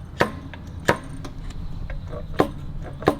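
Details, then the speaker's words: Jaguar 420G (Mark 10 420G) SU carburettors off the car, mixture screws and springs removed: each lifted piston drops with a sharp clonk onto its seat, four clonks about a second apart, after the main jets were centred. No binding. "hold the piston down as far as you can, loosen the lock nut, centre the main jet, and tighten it back up. If you can hear them clonking down, you know that they're centred,"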